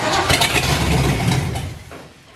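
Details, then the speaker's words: Ford 351 Windsor in F100 rat truck, first start attempt: cranks and catches briefly with a rough burst then dies within two seconds; fuel not yet coming from tank, foamy dirty fuel, possibly diesel in line. "ah there it comes there it comes are you seeing fuel in there that's very foamy and dirty is it um oh you know what it could be it could be diesel in the line"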